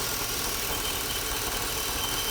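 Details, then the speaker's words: 1987 Chevy C10 305 TBI, after throttle body rebuild cleaning rust and grit from injector bowls, idles steady and even with a hissy top end and no stumbling or surging; normal idle after repair. "Well, sounds pretty good. Sitting there idling around, as you can hear."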